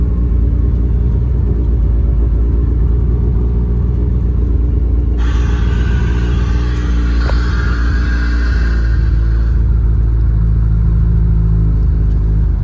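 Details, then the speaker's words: Mitsubishi Evo (called Evo 9, also Evo 8) at first startup after a transmission swap for a bad transmission found during a throwout bearing job: a deep, steady rumble with no knock, grind or whine. Runs normally. "all right sounds good let's take it for a ride"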